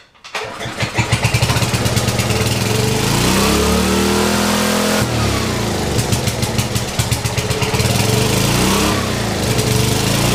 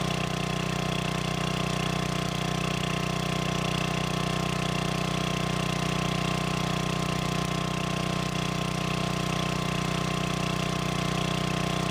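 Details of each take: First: Old free generator, first start, choke being worked: engine catches and races with climbing pitch that won't settle, then drops to steady governed beat; governor stuck wide open. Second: Old free generator, long unused, after adding gas and freeing stuck governor: steady, even drone at one fixed speed, no hunting or surging; voltage output in proper range; normal governed idle.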